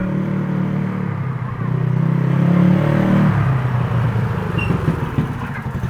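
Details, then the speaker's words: Owner's motorcycle that started cold but died and was hard to kick-start when hot, ridden after valve clearance adjustment: pulls smoothly, holds a steady drone with no misfire or stumbling; fault found and fixed, it was valve clearance. "Mantap teman-teman ya, ternyata ketemu penyakitnya, masalah settingan klep."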